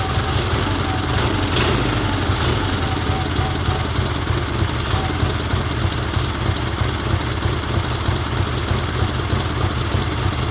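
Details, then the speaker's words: 1977 Sears 16/6 tractor, twin-cylinder Onan engine, after carb rehab, new plug wires, starter solenoid, old original GT18 points and coil; old gas unchanged. Even, steady putter with no misses, knocks or hunting; runs healthy, normal running. "Made some plug wires for this thing and just kind of slapped it together, and it runs pretty good."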